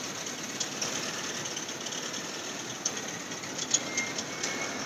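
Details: 2008 Honda Fit cold start: hissy high-pitched running with faint chirps and a brief thin squeal, every cold start, with the car shaking and gas fumes smelled inside; stops after 5-10 seconds, then runs fine.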